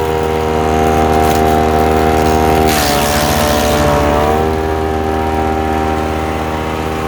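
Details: Ducar woodchipper engine running. Even, steady drone with a brief load dip near the middle that recovers cleanly, engine runs strong and healthy.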